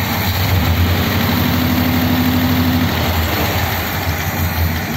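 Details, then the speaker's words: 1957 Ford Thunderbird V8 with original carburetor parts refitted, all plugs fouled; after carburetor adjustment a steady, fairly even low idle with smooth hum and no stumbles, best it has run in ages. "okay that sounds pretty good to be honest considering all the plugs have been fouled"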